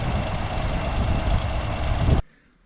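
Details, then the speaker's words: 1965 Cadillac DeVille convertible V8 after fuel system fix, long-sitting engine firing on eight: rough, throaty idle with uneven low rumble, raspy edge, some lifter noise; loudness attributed to an exhaust leak underneath. "fired up zoli and actually i think a lot of what you're hearing is there's an exhaust leak down here"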